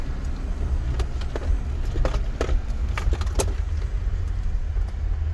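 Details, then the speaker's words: 2007 Jeep Wrangler, 109,000 miles, TerraFlex suspension, customer says it jumps around: vehicle rolling with a low rumble and irregular sharp clunks. Something loose or binding in the driveline, possibly the differential; suspected, not confirmed. "bag of dicks skirt oh yeah something's up with the driveline or the drive terrain something's loose you can feel it when you"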